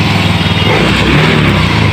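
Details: Fuel-injected motorcycle test-run after its injector and throttle body were cleaned and refitted: a steady, clean exhaust drone at an even pace with no stumbling or popping; it runs smoothly and the cleaning worked.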